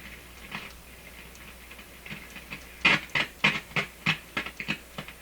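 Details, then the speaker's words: Polish Goplana tube radio on AM/shortwave with a small antenna: scratchy crackles and pops at one dial spot that fade when tuning past. Suspected capacitor short or dirt; it goes away. "That certainly sounds like a short in the capacitor. It's going away. It's some dirt spot. There's some dirt somewhere."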